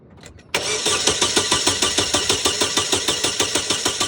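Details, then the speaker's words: 2016 Holden Barina crank no start: even starter cranking about three turns a second for four seconds without catching; no injector pulse or ignition module power, traced to blown fuse and PCM fault. "What's up, guys? I got a 2016 Barina today with a crank no start."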